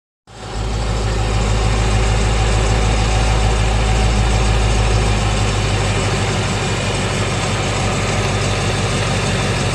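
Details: 2017 Ford Mustang 5.0 V8 with only 1200 miles, idling with deep steady rumble and light regular ticking about three per second, which started after the first oil change.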